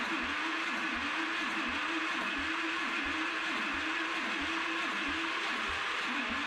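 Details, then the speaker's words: Old engine with breakerless ignition, first run after fitting ignition; quiet single-cylinder run with a dull thump about once a turn, knock-like, caused by the ignition pickup hitting the flywheel in one spot. "it sounds like it has a knock. And just digging in here, so this breakerless ignition has a pickup on the flywheel, and it's hitting the flywheel in one spot."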